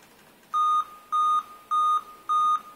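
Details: Dell Inspiron N5040 laptop: five evenly spaced high beeps at power-on before Windows boots normally, caused by a failed CR2032 3V coin-cell CMOS battery on the motherboard.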